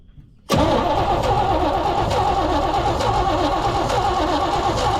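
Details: 1972 C20 pickup stored over 20 years, spark confirmed good and plugs black; starter spins steadily about four and a half seconds with no firing at all; cranks but won't start.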